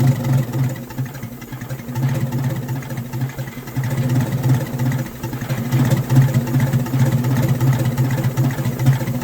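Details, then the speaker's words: Detroit Diesel in a vintage abandoned GMC truck, smoking the whole time; low lumpy rumble surging and sagging, never settling, not sounding like a Detroit; starved of air by the intake shutoff flap stuck closed. "And it just it don't even sound like a Detroit. Like it just I don't understand, man. I don't know what I'm missing, but it just don't sound right. It don't run right. It smokes the whole time."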